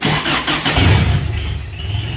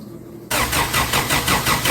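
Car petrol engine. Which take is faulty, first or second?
second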